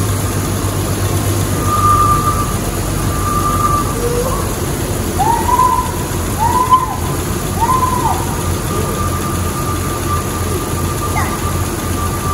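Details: 1994 Jeep YJ after ECU repair and a loosened alternator belt: a steady, even low idle with no belt squeal or grinding; it sounds healthy.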